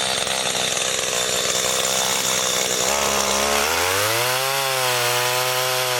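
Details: Garbage-picked STIHL two-stroke pole saw after a melted leak repair: it screams at full throttle through a branch cut, then the revs settle and climb smoothly with an even, crisp note; running healthy.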